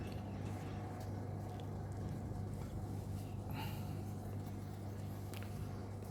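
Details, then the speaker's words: Daewoo washing machine on spin cycle, 800 rpm selected: steady low motor hum with no tumbling or slosh, motor running but drum not rotating and hard to turn by hand; broken drum shaft, tub damaged. "spin cycle processing you can hear the noise the drum not rotating this is the problem uh customer having the same issue"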